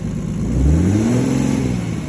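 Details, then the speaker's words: Mercedes OM606 diesel after Liqui Moly Diesel Purge and Power Service Diesel Kleen cleaning: revs cleanly with rising pitch and returns to idle smoother, no stumble, clatter or smoke; normal revving. "it's revving revving up about the same maybe bed maybe yeah it's better running up but it's definitely coming down um smoother"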